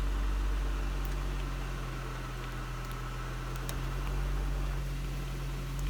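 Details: Honda Civic EP3 (Canada), cold engine: low, uneven hum with irregular wobble, a rough idle that persists until warm, alongside intermittent cluster lights cycling and electric power steering dropping out; codes not checked, cause unknown.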